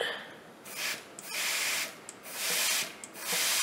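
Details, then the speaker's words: Case 1070 tractor PTO that no longer engages after a previous rebuild, removed PTO housing with air applied to the clutch pack oil feed: bursts of sharp hissing about once a second from the clutch housing; leak suspected as the cause. "do you hear how much air is leaking out of that clutch housing? There should almost be, I would imagine, none, okay?"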